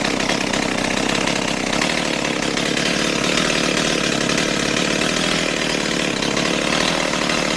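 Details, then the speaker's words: Stihl 028 AV Super chainsaw after carburetor rebuild, tuned with a tachometer: steady, even two-stroke buzz at idle around 2400 rpm, no hunting or stumbling; low-speed idle set correctly, chain creeping slightly. "Alright, I'm pretty happy with that. That's right around 2400."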